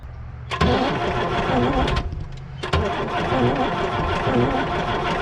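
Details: 1975 Chevy squarebody stepside with non-running Isuzu 6BB1 six-cylinder diesel, front five injector lines loosened for bleeding: starter churns in uneven bursts, never catches; air in fuel lines starving injectors, some lines now spurting fuel.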